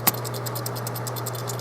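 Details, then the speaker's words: Start relay from a Haier 10.1 cu ft mini fridge (HA10TG31SS) that was clicking every few minutes: a loose rattle about five times a second over a low hum; its ceramic disc is reportedly shattered. "now I know that this is not working because it makes a rattle noise"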